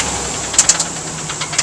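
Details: 1990 Nissan 300ZX Z32 non-turbo, blown engine at idle: sharp metallic knocks about ten a second, rod knock on cylinder #4.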